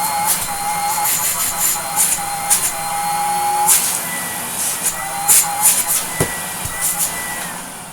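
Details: 1980s Electrolux Z2000 vacuum after restoration, with HEPA-flow bag, new pre-motor filter and hose fitted: even steady motor whine with clean airflow rush and a few handling clicks; motor smooth and healthy.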